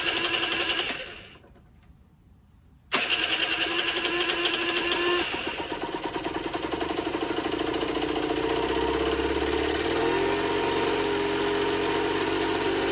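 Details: Generic Trigger SM 50cc on a temporary fuel tub with a stiff old throttle cable: fires after a silence and runs unevenly, revs climbing with no throttle. Erratic hunting idle; owner suspects an air leak, later found around the intake manifold, plus blocked jets.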